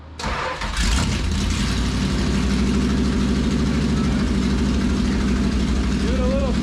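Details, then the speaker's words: 1973 Dodge Dart, 340 V8, 727 automatic, open rear end: starter cranks briefly, engine catches and runs evenly under light throttle in gear, wheels spinning in drive and reverse, drivetrain normal. "however this car runs and the transmission Works those Wheels were spinning when we were in reverse and drive"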